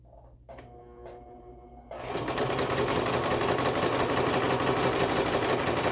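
After a few slow hand-turned clicks, the machine runs up to a steady, even whirring stitch with no knocking or binding; working normally.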